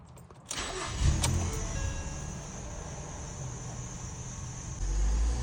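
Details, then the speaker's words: 2012 Ford Fusion 2.5L that stalls randomly, especially right after starting: brief crank, then catches and settles to a low, slightly uneven idle that later surges; engine stalling after restart. "hit in the gas slowly and it just died oh instead of hitting the gas slowly we'll give it some RPM and now it I'm hitting the RPMs and it wants to die"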